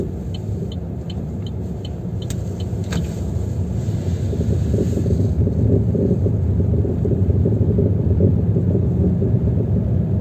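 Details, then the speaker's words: Chevrolet Aveo T300 front brake caliper and pads knocking and rumbling over uneven roads, silent on smooth roads; the noise stops when the brake is pressed. The caliper visibly moves; unclear whether the guide bolts or the whole assembly need replacing. "вот видите суппорт гуляет вот эта есть этот стук или вот эти вот болты направляющие менять или всю конструкцию в целом не знаю"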